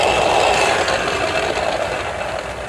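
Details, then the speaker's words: Yamaha NMAX rear gear case (gardan): a rough, grating drone with a thin whining "ngiung" on top, noisy from about 40 km/h and up. The final drive bearing is failing and the gears are worn. "jadi bagian ini yang sering bermasalah yang menyebabkan suara new pada bagian gardan ini ada suaranya seperti ini"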